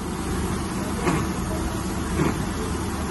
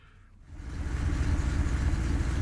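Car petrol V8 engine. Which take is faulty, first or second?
first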